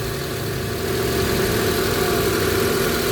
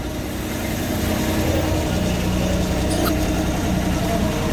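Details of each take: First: 2000 Honda Civic VTi, warm engine, owner's complaint of high idle that drops with the aircon or lights on, while the IACV/throttle body is inspected: a steady fast idle with no hunting, clearly too high. No check-engine light. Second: 2000 Honda Civic VTi automatic, warm, after shift-cable adjustment: a smooth, even idle with a steady low hum and no misses, settled at about 900 rpm, rising slowly. Normal idle.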